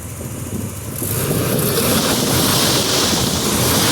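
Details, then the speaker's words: Six-cylinder engine after freeing three stuck injectors, now running on all six cylinders. Even, steady idle with no stumbles under wind noise; no misfires are heard. "Doesn't really sound like we have any misfires going on. Idle's pretty good."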